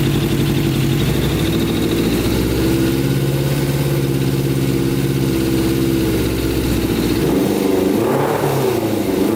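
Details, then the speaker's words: Custom Yamaha Banshee with Suzuki Katana 600cc engine swap on pod filters: steady fast idle, then the beat breaks up and sags as a hand covers the carburetor intake, mixture going too rich and bogging. "so see how bogs out that's from running too rich so my hands over the carburetor and uh it's not getting enough air obviously the mixture becomes more rich and doesn't run properly"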